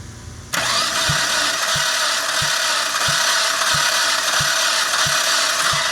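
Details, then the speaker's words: 2005 PT Cruiser compression test, likely warped head: starter whirs with soft, even beats, no firing, while cylinder 1 shows zero compression. "I didn't get any compression whatsoever on the first one there, so we're going to go ahead and just check this second one here next."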